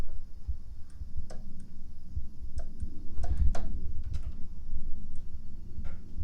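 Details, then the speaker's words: Aprilia Atlantic 500 scooter, 650 miles, sitting over ten years, new battery: at key-on sharp, irregular relay clicks from the rear with no fuel pump hum or priming; engine cranks, cause not yet known. "you can hear you can hear a relay clicking back here can you hear that now it does crank over"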